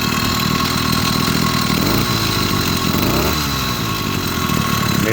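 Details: 80cc two-stroke motorized beach cruiser bicycle after fitting a performance carburetor; crisp rising and falling buzz revving cleanly with no stumbling; normal running.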